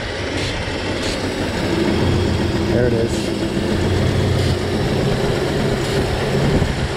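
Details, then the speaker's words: Toyota 4Runner after owner's DIY head replacement: uneven lopsided idle, misfire on one bank, maybe cylinders 4-6, from vacuum leak; upside-down gasket suspected. "yeah sounds like a vacuum leak misfire on One Bank it sounds like four five and six so that might not be a bank four five and six we'll have to see definitely sounds like a Miss though"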